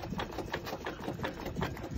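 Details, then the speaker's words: 2001 Mercedes Vito 112 CDI W638, wheel removed, driveshaft rocked by hand toward and away from the engine: light sharp clicks about three per second; play in a worn CV joint, boots still clean. "Ça, on a l'impression que il n'y a rien d'anormal. Mais on a un petit claquement."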